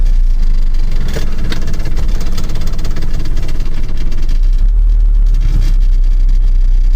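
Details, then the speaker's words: 1985 Mazda B2000 ute; started without choke after a few pumps, then idling steady and even with slight body rattle, no misses or knocks; normal idle. "Now, no choke this time, a few pumps, and then you can't complain about that, can you? It's a bit rattly, but anyway."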